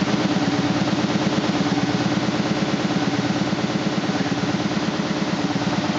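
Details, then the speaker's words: 2000 SCMI Sandya 3 37-inch wide belt sander running: steady drive hum with an even thump about three times a second, caused by a high taped seam in the sanding belt paper, not the machine. "so as it goes around you can hear it but it's actually just the seam in the paper it is not the sander itself"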